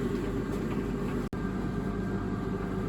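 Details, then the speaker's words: Beko DRCS68W tumble dryer after repair: smooth, even drum hum with steady motor tone, no scraping; drum previously jammed by tangled foam seal, refitted without seal, now turning and heating normally. "It sounds like it's turning, which makes a big difference to how it was when it wasn't turning."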